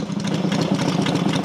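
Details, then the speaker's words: Freshly rebuilt Matchless G12 twin (new crankshaft, conrod, main bearing), warming up, manual advance lever backed off to slow the idle; low, lumpy but even tick-over, steady firing, no knocks. Normal slow idle with advance retarded. "i think i mentioned before if if they let you idle quite fast you just your lever a little bit i'm going to put it on the side if we the lever"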